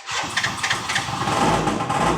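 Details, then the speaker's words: Yamaha BWS 100 two-stroke scooter started from cold: slow, labored cranking at about three heavy turns a second drags before it catches. "Listen to how this starts. did a little bit then it's just struggling to start"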